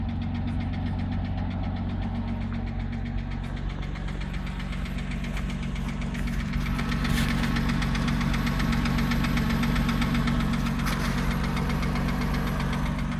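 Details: 2006 Porsche Cayman S idling after an oil change: loud, even ticking about four per second. Old oil was sludge, filter collapsed after a low oil pressure warning; additive brought no change. Owner suspects lifters, planned replacement.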